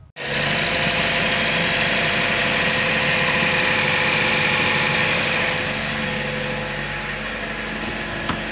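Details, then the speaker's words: Engine revved with the accelerator; rough regular knock about three times a second over the roar, worse when the engine is cold and on every throttle blip; diagnosed as head gasket failure. "does not suit up like that every time you hit the accelerator pedal especially when the engine is cold it's a head gasket that's it"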